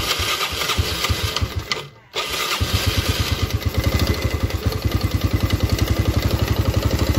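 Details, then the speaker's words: Yamaha Vega R new four-stroke, complaint of a constant ticking, very rough engine and thick smoke: it fires after a cranking pause and settles into a harsh, uneven idle with a clacking knock on every beat. Piston slap. "Nah apabila teman-teman mempunyai permasalahan di sepeda motor Jupiter Z atau Vega R lama atau Jupiter atau Vega R new ya penyakitnya itu hampir sama semua dan"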